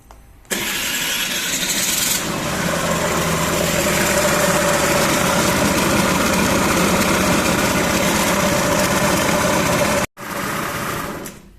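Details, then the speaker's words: Honda Lead scooter, engine started after earlier wheel noise was fixed: harsh dry gravelly rumble over idle, well above exhaust note, like a dry bearing; mechanic suspects crankshaft bearing, radiator side, blamed on a badly done earlier repair. Rumbling noise at idle. "Vocês ouviram aí Que barulho de rolamento seco no motor Pois é desconfio que seja o rolamento do vir brequim"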